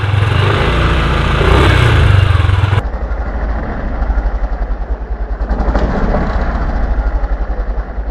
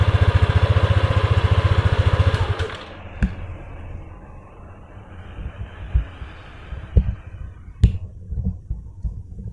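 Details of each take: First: Yamaha Aerox scooter with a covered number plate: fast, light buzzing rattle about four times a second over the idling engine, heard when ridden slowly; the plate vibrates against the middle of the fender. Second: Yamaha Aerox scooter after fitting brackets that widen the number plate's gap: engine pulses evenly then quietens; no buzzing or rattle from the plate after the fix.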